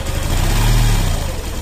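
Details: Suzuki Gixxer FI ABS cold morning start: short throttle blip lifts the engine smoothly with no ticking or clatter; the "gat gat" decompressor noise appears only when idle drops below about 1000 rpm (recommended 1400–1500), not adjuster or timing chain.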